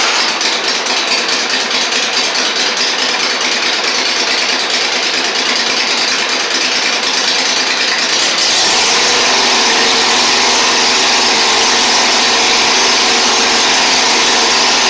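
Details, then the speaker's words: Toro Z Master with Kohler Command twin, previously down on power and running on one cylinder, after repair: a loud, steady drone with a rapid even beat that firms up as the second cylinder returns. It runs cleanly. "this should run a lot better now"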